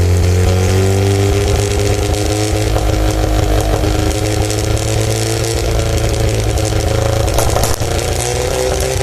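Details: Mazda RX-7 SA22C 13B turbo rotary, catalytic converter deleted: loud open-exhaust idle and revving with uneven stumbling beat and irregular pops; misfire of unknown cause at idle and under revs.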